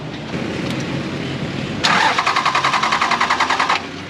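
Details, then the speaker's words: Toyota Land Cruiser diesel immediately after fitting new battery replacing flat one: quick, even cranking about four beats a second catches cleanly into steady idle; healthy start. "Das klingt doch mal anders. Unsere ist platt, auch wenn er was anderes sagt."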